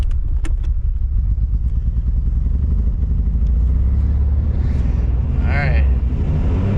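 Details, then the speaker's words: Barn-find Camaro just after reinstalling a professionally rebuilt carburetor (previously leaking fuel from overflow and accelerator pump seal at idle), first drive in 1.5 months: engine stumbles unevenly at low revs, lumpy beat. "Ooh, she doesn't sound good."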